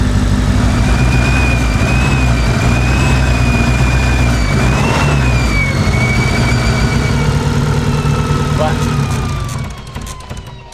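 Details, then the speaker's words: Mitsubishi Evo wagon, sat over a year, just re-timed, 2200cc injectors: loud idle with an uneven low thump about four times a second that isn't clearing; rough running. Owner suspects the injectors or a lifter needing to pump up. "so it hasn't cleared up yet normally it like would clear up have a little thumpy thumpy maybe you know I don't know if it's because it's got like 2200 CC injectors in it or if it's like a lifter and like it needs to like pump itself up a little bit"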